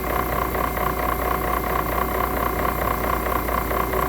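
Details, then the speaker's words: 1999 HP Pavilion 6535 PC (466MHz Celeron): the CD-ROM drive gives a steady whir with a light, regular ticking about 90 times a minute, a noisy cam mechanism while reading. "Nope. Yeah, listen to the cam on the CD-ROM."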